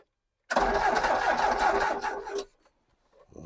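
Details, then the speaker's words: Ex-British army Bedford CF2 Ferguson 4x4, 7000 miles, parked for years, freezing cold day: about two seconds of starter churning with no firing and no catch; turns over but no fuel delivered, battery possibly weak. "We've got ignition lights. How have we got turny overage? Oh, we have. We haven't got any fuel. Nothing's coming out of there, is it?"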